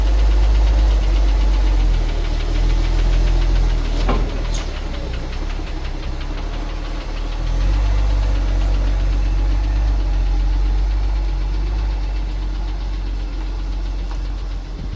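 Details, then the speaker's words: 1974 Ford 350 truck, engine had unchanged old oil, creeping down driveway: deep rumbling idle with a steady thump about four times a second; engine knock, cause unknown. "You know, we talked about a rebuild. You hear that one back there making a little noise. It's just the motor was full of not oil changed oil."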